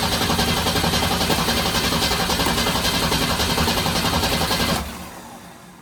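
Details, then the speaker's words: Ford Torino 250 inline-six after Carter RBS one-barrel carburetor rebuild: starter churns steadily near four turns a second for about five seconds, never catches; no-start, owner believes it's flooded. "I may have it flooded now going to start yeah she's flooded"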